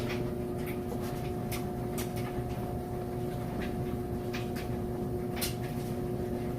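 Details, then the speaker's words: Maytag Super Capacity Plus electric dryer on timed dry, heat set to high, tumbling a load: steady even hum with soft irregular ticks, no scraping or squeal; normal, smooth dryer operation. "you can hear it sounds great it's a nice smooth operation"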